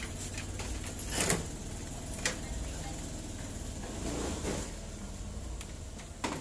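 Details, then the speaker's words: Suzuki Thunder 125 being checked for charging wiring after the battery kept draining, run with no battery fitted: steady low single-cylinder putter with a few light clicks; idles fine, showing the regulator (kiprok) is good. "Ini tanpa menggunakan aki. Nah, biasanya kalau misalkan kiproknya bagus, ini tanpa menggunakan aki, motor ini pasti hidup ya, tidak akan ada masalah."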